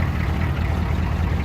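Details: Cold 1991 6.2 (described as 6.3) military diesel-conversion truck, just started in snowy winter after five days unused and plugged in: a steady, deep, even idle rumble with no misses or knocks. Normal cold idle.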